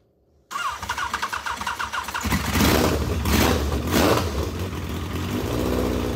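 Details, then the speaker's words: Legends race car after motor swap, first start-up: engine catches after uneven cranking beats, then runs rough and lumpy; carburetor is flooding badly though it's only supposed to have a two-pound fuel pump, so carburetor must come off. "carburetor is just absolutely flooding all the gas so it's only supposed to have a two pound pump"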